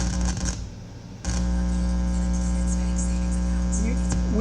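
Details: Altec Lansing IMT7002 speaker dock with no sound: steady low mains hum with a buzzy edge while probing the amplifier input capacitors near the amp IC, before connecting ground; ungrounded pickup suspected, not confirmed.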